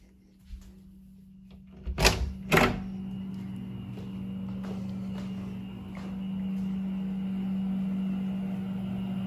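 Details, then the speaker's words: Rheem Performance Platinum heat pump water heater, recorded walking from inside the house up to the unit: steady low hum growing louder on approach, door thumps early; normal compressor running, much quieter than the A.O. Smith. "but I can tell you from my own experience first the AO Smith the ream is much quieter"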